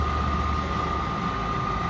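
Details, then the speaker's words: UH300 M4-series (4th-generation) undercounter unit during rinse: steady recirculation pump hum with low water churn; pump running normally, with no water yet draining to the floor drain because the water level is still low. "You see how the recirculation pump is running? But it's not dumping any water because it doesn't have too much water in it yet."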